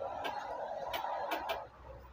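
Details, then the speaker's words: Bajaj Pulsar 220 motorcycle, pressing self-start: only sharp starter relay clicks and meter dims, no cranking, like a dead battery though battery read over 12 V and was recharged; cause was a loose engine earth bolt. "நம்ம self போட்டோம்னா அப்படியே metre down ஆகும் relay sound tick டிக்ன்னு வரும் battery down ஆன மாதிரிதான்"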